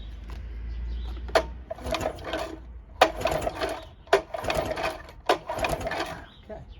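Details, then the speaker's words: 1984 Johnson 25 HP outboard that runs then won't restart hot: four quick pull-cord cranks, brief rasping spins with no firing; no spark on either cylinder by block test, suspected bad coils, trigger or power pack. "There's no spark either cylinder. So, either my coils are bad, I have a bad trigger up top, or the whole power pack is shot."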